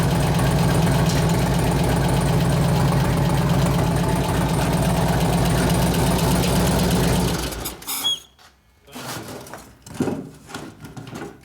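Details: 2004 Harley-Davidson FLHT 88 Twin Cam touring with fresh gas and oil, idling: steady light tick, three or four a second, over lumpy V-twin beat; suspected lifter noise.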